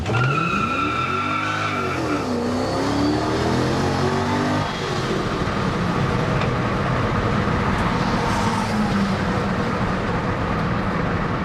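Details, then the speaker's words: Project bakkie with newly fitted V8, light rear, first test drive: engine pulls hard while a single rear tire howls in a rising wavering squeal; open diff lets one wheel spin, not stepping out. "But the thing is, it's not stepping out. The one wheel is just spinning, so it's not that big o"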